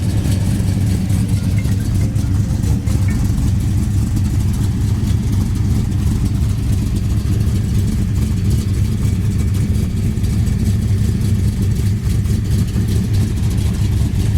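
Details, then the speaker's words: 1969 Plymouth Road Runner big-block V8 at idle: deep steady rumble with even beat, no ticks or misses; healthy, sounds like it may have a mildly upgraded cam. "this thing sits here in idols and it's just sounds great it's got sounds like it's got a nice cam in it little upgraded cam maybe"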